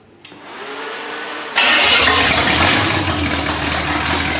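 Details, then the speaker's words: Rebuilt, broken-in small block Chevy V8 for a 1974 Corvette, on a portable engine test stand with oil pressure and temperature gauges; cranks briefly, catches cleanly, strong even idle, no knocks or misfires. Healthy engine. "so Nate's just going to fire this engine up and you can see what it what it looks and sounds like"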